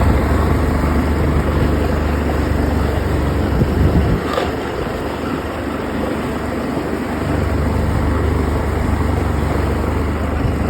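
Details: OX66 engine: a steady low drone with rough grinding layered over it, fading briefly mid-run. Compression is excellent and the prop isn't slipping. New spark plugs stopped the noise only briefly; source not pinned down.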